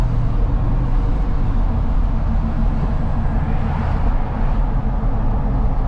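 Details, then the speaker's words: Interior cab recording of 33x12.50 AMP Terrain Attack MT mud tires on 22x14 wheels, windows up, cruising about 30 mph and then downhill at about 50 mph: a steady, low, barely audible rumble with no whine or thump. Normal tire road hum. "cruising about 30 you can barely hear them windows up just kind of cruising downhill at about 50 miles an hour"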